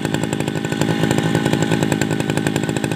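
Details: Tabata two-stroke brush cutter, 7+ years daily use, original block, piston, carburetor and muffler, rings and cable replaced; steady high-pitched buzz with crisp even exhaust rattle, no misses or surging: normal running.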